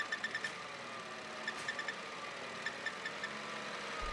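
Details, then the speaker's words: 2015 Chevrolet Cruze 1.4L turbo idling with short high squeaky chirps in quick bursts; failed PCV vacuum diaphragm inside valve cover leaking vacuum, squeak stops when dipstick pulled with engine running; fix is replacing whole valve cover. "most likely your vacuum diaphragm inside the valve cover has failed, causing a vacuum leak."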